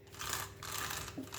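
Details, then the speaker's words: New WLtoys 124019 RC car: gritty, rasping bursts rising and falling with the motor's whir; front and rear diffs feel jumpy and tight, wheels don't run free. Diff shimming or lack of grease suspected. "Although it's brand new, I just don't like the sound of it. My diffs are kind of a little bit jumpy, front and rear."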